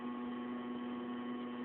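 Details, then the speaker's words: 1993 Mazda Miata with new Walbro in-tank fuel pump replacing the Denso, rear carpet and mat not yet refitted: constant even hum at one pitch with no surging or rattle; fuel pump working normally. "you can still hear that walbro noise there probably"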